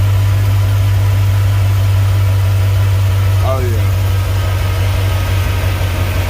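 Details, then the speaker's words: Chevrolet V8 at idle, restarted after an exhaust leak repair with RTV sealant: a deep, steady, smooth rumble with no ticking or puffing, sounding way different now that the exhaust leak is fixed. "Let's go ahead and fire it up, see how it sounds. See if that exhaust leak gone. Oh yeah, it sounds way different."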